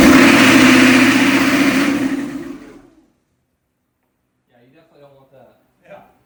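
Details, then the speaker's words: Newly swapped HMMWV (Humvee) diesel, first start attempt after installing cooling stack and radiator: roars at high, unchecked rev about two seconds, then drops to silence. Engine running away on its own. "So, it's trying to run away on you."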